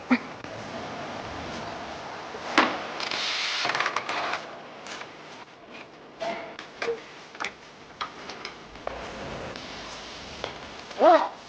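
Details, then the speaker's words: Car creaks "jiwa jiwa" at about ten-odd km/h; worked by hand, ball joint gives dry creaks and squeak, boot torn, grease leaked out and grit got in; worn ball joint, replacement moves stiffly. "我就开了10几码，就叽哇叽哇响。这个声啊，8成是球头在响。"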